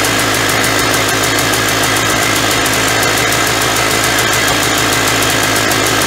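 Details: 1991 Polaris Trail Boss two-stroke, stored 28 years in a chicken coop, first start on gas poured into the carburetor; fast even crackle holding steady idle without stumbling or knocking, smoking, oil injection working; normal idle.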